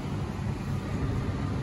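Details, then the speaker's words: Furnace blower fan keeps running smoothly after the heat is switched off, an even low rush of air with no rattles, scrapes or surging, purging fumes from the system; the blower is working normally, and the AC unit that won't power on is a separate problem. "so you can hear that the furnace fan is still running and it's doing that to you know help uh get all of the other fumes and stuff out the system so the fan is definitely working"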